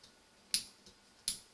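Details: Mini lathe under renovation, chuck jaw number 2 previously jammed and still very tight: two sharp, light metallic ticks about three quarters of a second apart as the jaw is worked, suggesting binding. Cause suspected, not confirmed.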